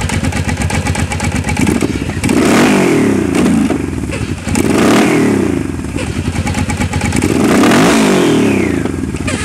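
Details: Motorcycle revved up and down, dull uneven clunking thumps over the engine on each throttle blip; source unknown.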